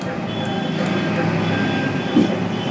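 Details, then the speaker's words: TVS Victor 3-valve bike, new battery fitted, no self-start; old starter relay refitted and found fine, fault traced to the self-start button; now self-starts and settles into an even, steady idle with no misses or starter grind. "पुराना वाला जो release था वो भी बिल्कुल सही निकाला bike self से स्टार्ट हो रही है"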